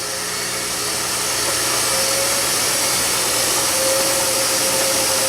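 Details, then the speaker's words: Kenmore Elite HE3t washer after being taken apart for not draining or spinning, with something suspected to have been sticking in the pump fan: a steady rushing whir and thin pump hum, noisier than remembered; it now drains and spins normally. "okay that must be pump making all that noise maybe this was sticking in the pump fan and I don't know I'm just guessing but I don't remember it being that noisy but we couldn't get it to drain and spin and now it is draining with spinning"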